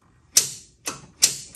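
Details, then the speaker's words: 1970s EZGO golf cart with internal starter-generator, new battery, key and switch forward, pedal pressed: four sharp dry clicks about half a second apart, no motor spin; solenoid pulls in but starter-generator won't turn until rotated by hand. "Nothing. You can hear the solenoid kicking, but watch this. All I gotta do is rotate it a little bit."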